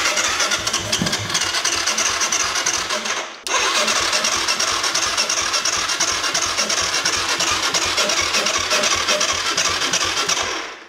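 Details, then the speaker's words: Kawasaki KFX 450 quad with KXF engine cranks fast and steadily, about three beats a second, with a hollow sucking sound, never firing; battery at 11 V throughout. "entends comment il aspire l'air ! Il aspire comment il sucer ton âme. Il aspire mais il veut pas."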